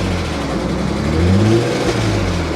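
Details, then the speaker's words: Salvage-auction vehicle at a Copart lot, weak battery that went dead: engine revs up and falls back with an uneven, ragged note and no clean rise in pitch; runs rough when revved, cause unclear. "that sounds awful awful yeah oh and the battery's dead again"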